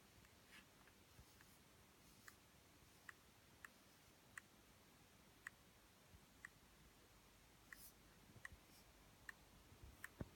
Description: This is a top spec 2017 mbp 14,3 making a popping sound (clicking /cracking noise).